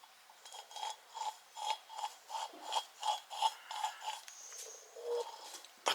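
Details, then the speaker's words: 1968 Pontiac GTO rear wheel bearing, spun by hand: about two rasping, gritty, gravelly scrapes per second; the inner bearing race is rough while the outer race is fine. "that's like gravel so something happened"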